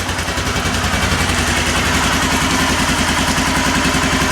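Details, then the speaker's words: Kawasaki Lakota 300 after top-end rebuild, crank turned 180 degrees before refitting the cam: steady even single-cylinder idle about 3.5 pulses a second, no misses, pops or top-end tapping, no smoke; valves set well. "Look, no smoke. We fixed it. Awesome. Sounds good. Looks, sounds like I got the valve set in pretty good."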